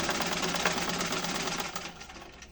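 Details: Old rusted Singer sewing machine after restoration and servicing, trial stitching: quick, even clatter of needle and mechanism at a steady pace, slowing to a stop; machine runs smoothly.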